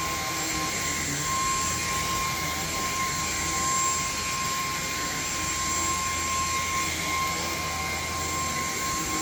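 Constant high motor whine with steady airflow rush and no dips, rattles or grinding; this vacuum motor is running normally.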